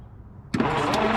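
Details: 1962-64 Willys Utility Wagon parked since 1997, spark tester fitted, points not yet cleaned: the starter spins the engine briefly without catching, cranking but not starting, with no spark as expected.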